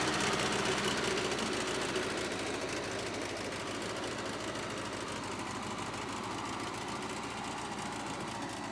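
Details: Bobcat 610 skid steer with Wisconsin four-cylinder gas engine: steady, even idle with a quick regular patter about four beats a second and no knocks; seller says it cranks up every time, runs good, no leaks.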